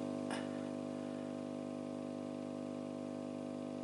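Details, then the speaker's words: Output stage of a tube radio during signal tracing from the speaker back: steady, even low hum with clean tones, no crackle or dropouts, heard louder at the speaker output, showing the speaker and output transformer work. "¿Esto qué nos indica? Eso nos indica que el altavoz y el transformador funcionan."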